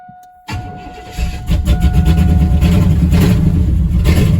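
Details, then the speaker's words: V8-swapped Chevy S10 after long storage, rebuilt used fuel pump fitted after low fuel pressure: chimes, then catches quickly into a steady, even lumpy idle on old gas; normal start and idle. "got some old gas but it's running"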